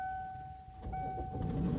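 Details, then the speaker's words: 2008 Kia that started then died and wouldn't rev, codes P0420/P0430/P0051, catalyst blockage suspected; after removing a sensor, a chime, then it catches within a second and idles evenly, revs properly, no misfire; normal start and idle. "हाँ बिल्कुल अल्हम्दुलिल्लाह, ये देख सकते हो गाड़ी स्टार्ट हो गई और रेस भी बिल्कुल बराबर ले रही है।"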